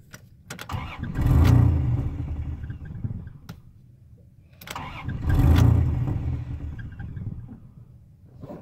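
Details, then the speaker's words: 1996 Dodge Dakota 3.9 V6, 4-speed automatic 4WD, IAC and MAP sensor already cleaned: two long cranking bursts, engine stumbles, barely catches, dies; won't start or idle without gas, rough idle. Hard starting, cause unknown. "I came off the gas and I'll just punch it and see the state tell me why it's rough idling rough doesn't want to start on its home"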